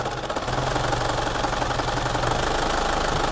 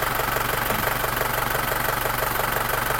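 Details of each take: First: Isuzu Panther diesel at idle shakes badly with a lumpy, uneven pulse over a low drone, smoother when revved but worse at part throttle; rough idle with RPM hunting, suspected injector nozzles, low pressure or delivery valves. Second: Isuzu Panther diesel just started, still cold, idling steadily with even clatter, no hunting or shake; smooth idle restored after fixing a dribbling injector nozzle and two leaking delivery valves that had caused rpm to rise and drop.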